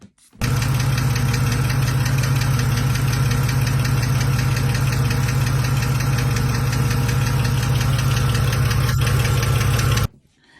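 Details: BMW petrol engine idling with a quick, even ticking over a deep, steady hum, suspected hydraulic lifter tick present for about two years despite expensive oil, before treatment with Valvoline Restore & Protect.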